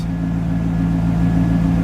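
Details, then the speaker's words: Car that wouldn't idle after a new battery: uneven, lumpy idle with wavering low drone and slight stumbles; idle air control valve position was off, and after resetting it the idle became good; muffler also has a rust hole. "I guess it was the the iak position was off so I reset it now she's idling pretty good"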